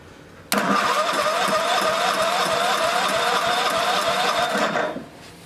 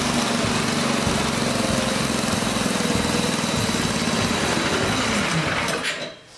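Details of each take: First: Old snowblower small engine on the electric start during a spark check: fast, even churning for about four seconds with no firing, then it stops. Spark is weak and intermittent; corroded points are suspected. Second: Old snowblower small engine, started on choke and fast with electric start after cleaning and fresh fuel: catches and runs with fast, busy, even buzz about six seconds, then dies away; normal running.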